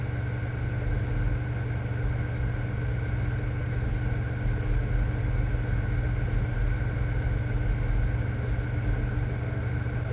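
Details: Sony PSX DVR DESR-7000 after Matrix Infinity v1.93 modchip installation, laser reading an original PS2 game disc: steady smooth whir with low hum and faint quick ticks, no grinding or skipping; normal optical drive reading.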